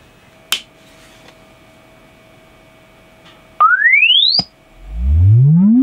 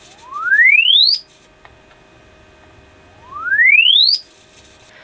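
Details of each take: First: Alto TS310 2000 W active speaker after repairing its bass fault, loosely reassembled: test sweep rises cleanly from deep bass to high treble with solid bass and no dropout; fault was the amp, not the driver. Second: Alto TS310 2000 W class D active speaker, fed a low-to-high signal-generator sweep: tone rises from midrange to a high whistle with no low end at all, whatever controls are pressed; no bass, traced to the amp.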